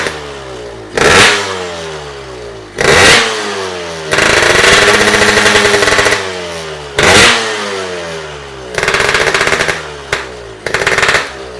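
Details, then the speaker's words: Yamaha RX King two-stroke with local (non-original) boring and a homemade exhaust fitted with a gas ball: crisp blips rising and falling cleanly, a held rev, soft even exhaust note; healthy, responsive engine. "Ni kebetulan sih suaranya lebih lebih lembut ya Pakri. Lembutlembut ya suaranya lembut soalnya knalpotnya pakai gas full ya."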